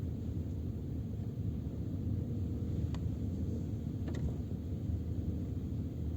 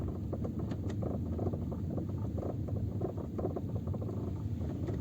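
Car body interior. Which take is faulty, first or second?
second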